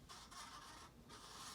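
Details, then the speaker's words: Casablanca Panama ceiling fan from 1993 at speed 4, rusty from likely rain exposure, with bad bearings that lock it up on lower speeds: dry, papery scraping in uneven sweeps as it turns; scraping noise from rough bearings. "I think these were actually left out in the rain somewhere, because there is a fair amount of rust on this one especially."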